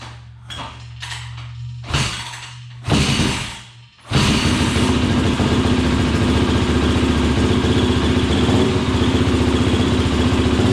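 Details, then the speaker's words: 2003 YZ450F engine in an off-road Simplicity lawn tractor, after carb rejetting: a few cranks and coughs, starting without choke, then a strong, steady single-cylinder thump without stumbling; runs much better. "Wow a lot better yeah it was uh who was even running without the choke on that time I forgot to turn it on so it started without the choke man that's awesome a lot better"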